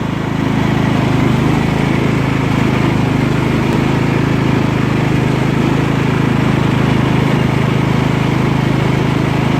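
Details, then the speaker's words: Scotts lawn tractor built by John Deere, 16 hp Kohler Command engine, hydrostatic drive, after repairs, idling briefly after a blades-engaged test drive so it won't backfire at shutdown; smooth, even low putter, no surging or hunting. Normal idle. "now I'm going to let it idle for a short period of time so when I turn it off it doesn't backfire"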